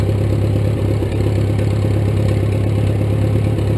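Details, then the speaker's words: 1941 Case SC tractor, rebuilt engine, no muffler, first start since December 2015, started in 2 cranks: steady even unmuffled idle with a low thump about three times a second, no knocks or misses; runs healthy. "So not bad, 2 cranks, and it's been sitting since December, so runs really well."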